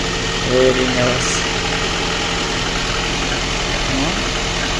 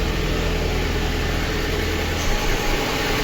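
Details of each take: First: Lada Kalina 1.6 with replacement used engine, previously misfiring with suspected low compression, after repair and cooling system bleed: steady, even idle with no missing; runs quietly on all cylinders. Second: Lada Kalina 1.6, used replacement engine, cold: rough, stumbling idle; misfire, likely from low compression in cylinder 2, coolant boiling and missing, suspected head gasket.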